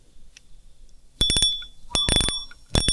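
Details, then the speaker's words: Fishing reel clicker after repair: broken click spring replaced with cut steel strip, previously silent. Short bursts of rapid, crisp, loud clicks as spool turns, even and strong; clicker engages properly. "ผมเสียงเพะครับใช้ได้นะครับจะเอาไปปรับแต่งเสียงรอกที่มันเสียงไม่ค่อยดังหรือว่ารอกที่ไอ้กิ๊กเสียงมันหักนะครับก็ลองเอาไปทำกันดูนะครับ"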